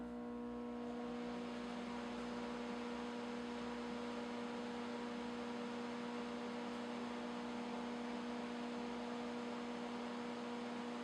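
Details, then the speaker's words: Hobart Stickmate AC/DC 235 welder powered on idle after installing DINSE-style panel-mount lead connectors, cleaning and reassembly; low, steady electrical hum at constant pitch, no harsh buzzing or rattle; fairly quiet, normal transformer hum. "Okay, now that we're buttoned up, we're going to turn it on again and see how quiet it is."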